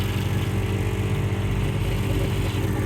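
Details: On-board air compressor in the toolbox of an off-road Ford F-150, running after a fuse upgraded to 30 amp: even, steady low drone with regular throb, no stutter or labouring; compressor running properly.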